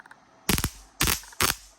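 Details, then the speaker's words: CO2 laser high-voltage cable wrapped in regular electrical tape, about 1 inch from ground wire, quick-test fired from laser power supply: three sharp crackling snapping bangs; high-voltage arcing flashover through the tape to ground. "now you can hear the sparking noise. That means now be careful if you move a little bit closer."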